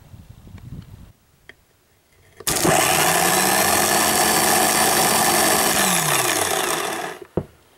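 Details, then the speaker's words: 2000 Subaru Outback starter, removed and bench-tested with no load: spins about four seconds with a gritty, rasping whirr, then winds down; in the car it only clicked. Internally rough starter, replaced; battery later found dead-shorted. "It will spin when there's no load, but it still doesn't sound good. And it won't do that when it's in the car. It just goes click."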